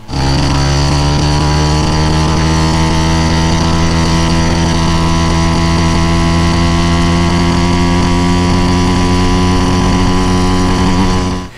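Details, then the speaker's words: YD100 motorized bike two-stroke with added reed valve and quarter-inch hole in exhaust cap: buzz stumbles with a miss through mid-range under acceleration regardless of jetting; cause not pinned down, top speed 41 mph. "mid-range has a strange miss as the bike accelerates you can hear it just miss miss and it's doing this no matter where i put my jets and my"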